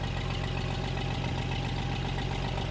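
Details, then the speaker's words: 1965 AMC Rambler American 440, freshly started after cooling system work: steady idle with a sharp puffing tick on every firing pulse from an exhaust leak; runs well otherwise. "It's actually running really good. You can really hear that exhaust leak. It sucks."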